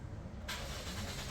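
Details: Toyota Corolla Grande 1.8: starter spins engine steadily but it never catches; fuel pump itself tested OK, but no current reaching it (fuses and relays fine), so no fuel delivery; crank no start.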